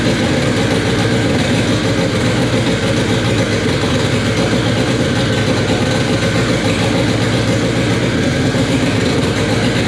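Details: K24 engine in an all-wheel-drive Integra, first start on a FuelTech FT600 ECU after two days of settings: steady, dense idle rumble with even low churn, no knocks or misses; normal idle, fuel tuning still needed.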